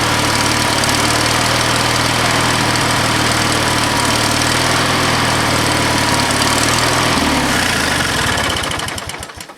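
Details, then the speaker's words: Used lawnmower engine on old Ariens walk-behind mower, half throttle, full choke, battery start: single-cylinder runs at steady, even pace with clean exhaust beat, then winds down and stops; healthy normal running. "Oh, we got a pop. It ran good. That sounded really good."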